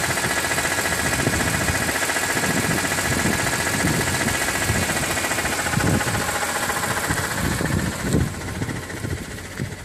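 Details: 2006 BMW E46 M3, 42,600 km, oil temperature above 80°C: idle with irregular knocking patter two to three a second over busy mechanical clatter; abnormal engine noise, owner wonders if oil pump, cause unknown.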